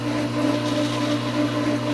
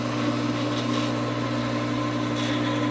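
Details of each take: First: Pool pump at season opening not yet primed, water coming up slowly: steady motor hum rising and falling in loudness, surging back and forth from loss of prime. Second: Swimming pool pump during opening, after priming through the suction-side ball valve: steady electric hum with an even water rush and no gurgling; the pump has caught its prime and runs normally.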